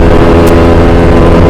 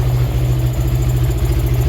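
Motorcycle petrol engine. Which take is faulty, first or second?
first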